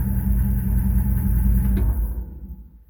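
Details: 1933 Plymouth coupe street rod after rewiring: deep, even rumble with a steady beat of about 200 a minute runs smoothly, then fades as the engine shuts off; healthy.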